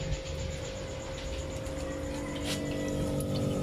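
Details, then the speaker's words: Refrigerator not cooling after two compressor replacements, evaporator heard: watery gurgle and trickle over a steady low hum; water-like flow noise must disappear, so system is flushed again until clean. "ini banyak banget ya tuh ini suara airnya ini teman-teman tuh ya ini harus suaranya harus hilang suara gemericik air harus hilang"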